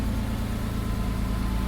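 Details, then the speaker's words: Neglected 1998 Porsche Boxster 986 petrol engine, just started after long standing, battery light on: steady idle with light quick ticking over engine note, smoke lessening from blue oily to white; engine ticking at idle. "oh it's a lot less Smokey now I wonder why that is bit of a tick coming from the engine"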